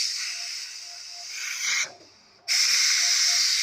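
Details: Noxxa electric pressure cooker after a six-minute high-pressure cycle for glutinous rice: loud steady high hiss of venting steam, a brief near-silent gap, then strong hiss again; normal pressure release.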